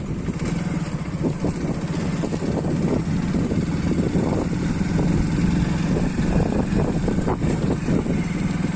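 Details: Hero Splendor Plus BS6 with an extra engine sound that persisted after an agency visit; the small single-cylinder runs steadily with light irregular ticks over the exhaust beat. Abnormal engine noise, source unclear.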